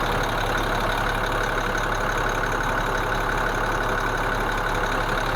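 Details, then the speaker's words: International DT466E diesel truck idling cold after injector and valve calibration: steady, even, calm rumble with no misfire or vibration; before the fix two failing injectors caused a cold-start misfire. "Mira la diferencia este motor en frío, cómo él prende y funciona y cómo él se escucha."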